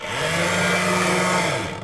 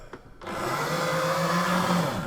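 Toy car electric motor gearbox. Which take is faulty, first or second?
second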